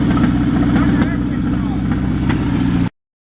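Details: Mazda truck with an engine swapped in from a 1994 Ford Ranger, just started and running. Steady, even idle with regular exhaust pulses around four a second and no knocks or misses. Normal idle.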